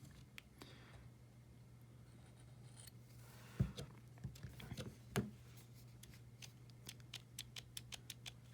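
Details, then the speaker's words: Protech Magic 2 automatic knife, reassembled after disassembly and maintenance: sharp snaps on opening, then small scratchy clicks, a noise it didn't make before. The owner wonders if it is over-lubricated, having felt it needed lubrication. "it didn't make that noise prior. Oh, the other issue that could be is here. Hashtag overlubricated."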